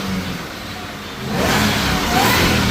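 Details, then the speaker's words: 2004 SVT Mustang Cobra Mystichrome, V8, about 8,592 miles, after replacing a bad CCRM: strong, even rise in revs with a clean, steady note, no missing; now running on all eight cylinders. "But it's running on 8 cylinders and it's alive again."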